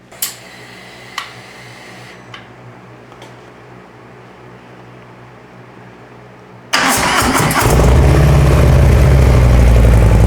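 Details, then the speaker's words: Brand-new 2024 Harley-Davidson Softail Low Rider S V-twin, cold start, first start after slip-on TAB Performance 2.25" exhaust install: a few quiet seconds, then it catches into a deep, even rumble with no knocks or misses; normal cold start and idle. "So we're gonna start it. This is gonna be a cold start, first time started. I'm kind of excited, kind of nervous."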